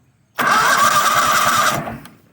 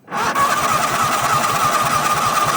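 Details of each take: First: Toro Wheel Horse 266-H, 26 hp Kohler V-twin, 475 hours, first crank test on battery before fuel is hooked up: strong even cranking churn; the starter turns the engine normally. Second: Toro Wheel Horse 266-H with 26 hp Kohler V-twin, new fuel filter, fuel pump and carburetor never fueled, fed without tank: steady cranking about three compressions a second for nearly four seconds, never fires, then silence; likely needs priming.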